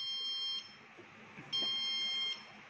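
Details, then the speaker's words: BPCL petrol pump automation tank monitor: shrill steady beeps about once a second, the low product alarm signalling "petrol delivery required" as stock runs low. It is silenced by double-clicking the alert. "देखो दोस्त, "petrol delivery की आवश्यकता है," यह कम उत्पाद का alarm है। तो, इसने पहले ही खतरे की घंटी बजा दी है जो यह संकेत देती है कि हमारे पास स्टॉक कम हो रहा है।"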